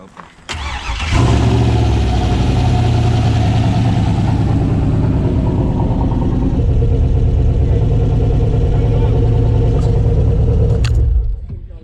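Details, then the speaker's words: Turbo 6.0 LS swapped into a Foxbody at first start, running with an uneven, stumbling beat and one dead cylinder missing at idle. The coils were swapped around before this start; coil power or signal wiring is suspected. "no I could hear it again switch the spark plug wires so not injector not the coils and not the wires"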